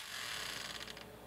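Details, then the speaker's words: Old Aiwa GS110 Walkman at power-up: harsh, buzzy lawnmower-like grinding whir that fades within a second and a half; the mechanism is grinding, cause unknown before disassembly and belt replacement. "holy it's like a lawnmower did you hear that"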